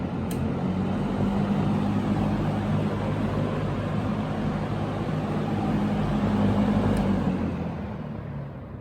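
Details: Early-1970s Electrohome 652-1 20-inch box fan with metal blades, overheated-looking motor passed insulation and amperage tests (1.24 A on low), switched back to high: smooth steady whoosh over an even motor hum, no rattles; running fine.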